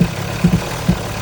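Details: 2014 Audi Q5 2.0 turbo four-cylinder with eight-speed Tiptronic and quattro, showing about eight trouble codes before repair: uneven idle with irregular low thumps breaking the rhythm every half second or so; rough running, possibly a misfire.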